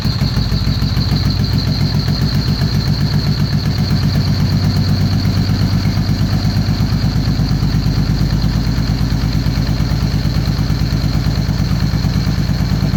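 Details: 2013 Victory Cross Country supercharged V-twin after sitting over a year: lumpy idle missing a pulse every cycle. The front cylinder stays cold after the plug wire swap; a bad front plug wire fouled the plug, and the coil and plugs were replaced next.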